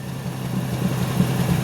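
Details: Green turbo kei car engine after restoration work on battery cables, connectors, ground and ignition: even low idle with smooth steady rhythm, no misses or knocks; runs normally after fixing ground issues.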